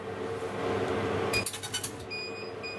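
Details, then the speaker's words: Laser engraver test burn on acacia at 12 mm distance: crisp, steady high tone with fine, even pulsing, then short beeps; normal laser pulsing giving black marks. "that sounded crisp you could hear every pulse almost and look how black it is"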